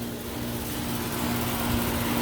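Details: Old R22 2.5-ton condenser after new fan motor, blade and hard-start capacitor, unit lifted off ground and airflow verified: steady low hum with constant fan rush, no rattles, scrapes or cycling; running normally.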